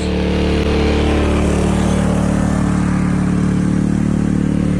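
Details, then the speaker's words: After ultrasonic cleaning of its varnished carburettor, a curb-find Honda HS520 single-stage 4-stroke snowblower throws snow cleanly, holding a steady single-cylinder drone with no misses or knocks. Normal running under load after the repair. "Clean, bro. Snow really well, so I know that this is a good machine."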